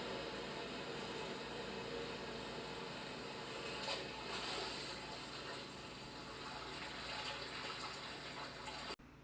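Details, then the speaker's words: VOPLLS 4K projector with the display on, heard from the first position before moving it to 3 ft away: soft, steady rushing air with no ticking or rising whine. The cooling fan runs normally. "And so I'll give it about 5 seconds of me being silent so you can hear the fan noise and then as well playing the sound."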